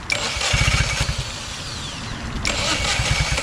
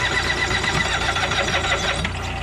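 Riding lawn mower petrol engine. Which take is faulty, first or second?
second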